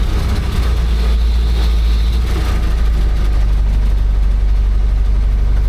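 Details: Old "800" truck, just revived after distributor retiming, in gear and pulling away: big engine rumbles low and even over a deep exhaust note, with no knocking or grinding. Normal running.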